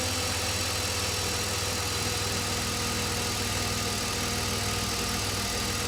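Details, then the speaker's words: BMW E46 330i M54B30 at idle after replacing the water pump, which had excessive play, and addressing the rattling DISA valve: steady, even idle with no rattle standing out, not perfect but much better; normal idle. "okay so this is what the engine sounds like now a lot better I wouldn't say it's perfect but the big rattle coming from the water pump that one is actually gone"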